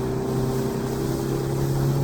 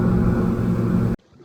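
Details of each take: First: Outboard boat engine under way with trim tucked in: deep, steady, heavy drone held down as the engine strains against hull drag. Boat very laboured, excess fuel use. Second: Boat outboard at cruise, about 5,100–5,200 rpm and trimmed right: steady even hum turning from a drone to a clean zinging buzz; that zing marks the ideal trim and rev point for best fuel economy.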